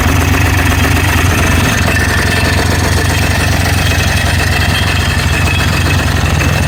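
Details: Scrapped parts ATV running after fitting a new starter and bendix, reseating the flywheel and fixing a wide-open throttle: a loud, steady drone with no knocks or misses. Blue smoke shows oil is getting through.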